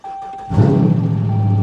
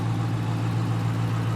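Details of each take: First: 2013 Ram 1500 Longhorn V8, fire-damaged auction truck with about 75,000 miles and check engine light: cranks and settles into a loud, rough, burbling idle because the exhaust is not attached. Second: 2019 Dodge Challenger with 5.7 L V8, about 70,000-75,000 miles: steady, even low idle rumble with no knocks or misses, running really well.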